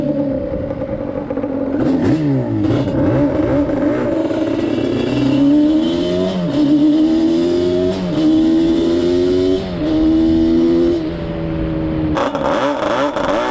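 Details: Yamaha Banshee 350 two-stroke twin on a test ride after carb sync and rejet, climbing through the gears; each pull flattens near the top instead of screaming out; won't rev out, main jets believed too rich at 178, going down to 160.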